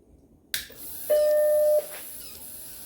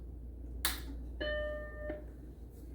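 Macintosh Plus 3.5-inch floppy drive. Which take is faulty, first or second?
first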